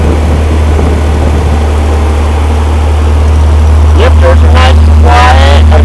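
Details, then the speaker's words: Rampy 80 hp engine built from mostly used parts, at its first start, with good oil pressure: a strong, even low drone climbing slightly, firing steadily with no knocks or misses; the owner thinks one side flooded. Normal running. "damn good, if you ask me. Listen to that thing. Little 80 horsepower monster right there."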